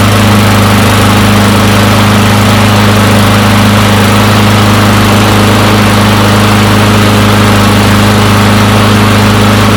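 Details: Free non-running push mower, long unused, after a new air filter, runs with a steady, even buzz and constant low drone, no surging or stumbling; normal running.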